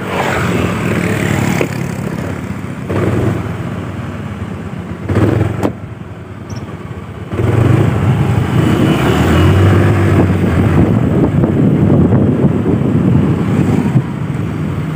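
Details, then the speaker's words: Honda Vario automatic scooter pulling away jerkily, jumping and juddering as if it had a clutch, and sometimes creeping on its own. The uneven surging is suspected to come from the secondary pulley or the rear clutch lining. "nah kadang saat kita gas kita jalan Ini loncat seperti ada kopling ya padahal ini matic tuh ini"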